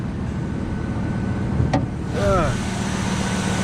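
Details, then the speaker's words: Second-owner V10 truck with about 68–69,000 original miles, just back from a transmission rebuild, starts and idles with a deep, even low rumble and steady beat, no knocks or misses. Normal idle. "oh smooth Jesus oh just like I remember it"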